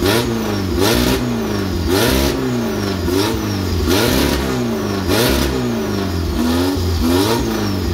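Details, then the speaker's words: Engine with new tri-power three-carburetor setup, stock pump jets, first testing: repeated blips to high revs with rising, falling howl; top end bouncing, points floating or valve float suspected. "but oh yeah, I can hear it bouncing. The points either floating or valve springs even floating."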